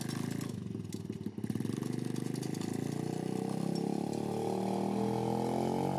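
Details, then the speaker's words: Homemade pit bike trike on a test ride, smoking heavily: small single revving with an uneven, rapid slapping clatter over the exhaust; drive chain too long, with no chain guide, slapping; half link planned to remove slack. "definitely that sound you're probably hearing is to chain it's a little bit too long so I got a half link for it which should take care of the slack and then it won't rattle"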